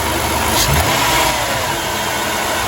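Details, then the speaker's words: 2006 Dodge Grand Caravan petrol V6 after replacing the alternator decoupling pulley, tensioner and serpentine belt. It blips briefly and settles, quiet with no belt-drive rattle; the marble-like rattle at idle and deceleration is fixed. "Ooh, sounds way more quiet. Let's check it out. Belt's still rolling, sounding good."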